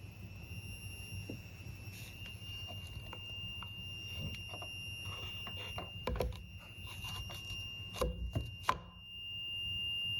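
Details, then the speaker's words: 1Plus S10 electric scooter charger after almost three hours charging, red charging light, very hot to the touch: steady high-pitched whine near 3 kHz with fainter higher tones and handling clicks. Charger whine, cause unclear. "has been charging for almost three hours and um I came down just now and I'm hearing this whining noise"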